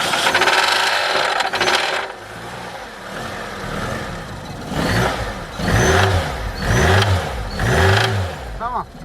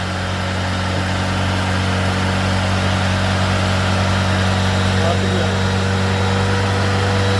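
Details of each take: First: 1993 Tofaş Doğan SL 1.6 towed in after running out of oil; knock grew after adding oil. Engine blipped about once a second with hard knocking from the lower block under each rev; crank bearings suspected burned from oil starvation. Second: 1993 Tofaş Doğan SL 1.6, 81,575 km, after crank bearing replacement for knocking from running low on oil: smooth steady idle, even hum, no bottom-end knocking; sounds healthy.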